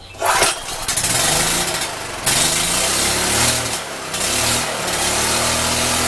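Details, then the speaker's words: Free Champion generator revived after reassembly, with muffler fitted: catches after a few sputters and climbs to a high, raspy, unsteady speed instead of an even hum; overrevving, owner thinks the governor needs adjusting. "sounds like I do need to adjust that governor I just wanted to rev real high"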